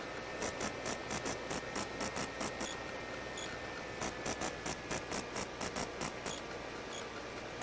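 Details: Skywalker 1900 RC plane test flight with rebuilt 360-degree pan and tilt camera unit: steady hiss with fast irregular buzzing clicks over camera audio; electrical interference noise, owner suspects the new GWS 360 pan servo.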